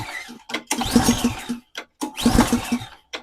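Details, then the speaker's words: Nearly new Ariens Compact 24 snowblower, choke on, primed, half tank of fuel: repeated pull-cord cranking with compression chugs but it never catches; cranks but won't start, bad gas suspected. "As you can see, this thing won't fire up."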